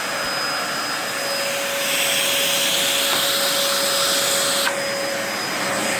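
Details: 2004 Dyson DC14 Animal vacuum, fixed up and on its first run since a new HEPA filter: a steady roar with a thin constant high-pitched whine; the motor bearings sound a bit funky, whining after a while.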